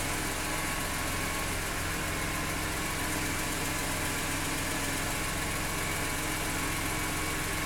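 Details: BMW E46 M3 petrol engine idling steadily, with a light, fast ticking running through the engine note.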